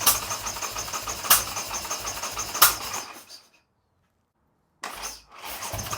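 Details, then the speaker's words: Harley-Davidson Sportster build, first start attempt three or four on choke after snapped choke was replaced and carb cleaned: starter churns steadily about three seconds, pauses, cranks again, no firing; has compression, flames seen, owner suspects ignition timing is off. "make sure it cranks it has compression but those flames make me think my timing isn't set properly"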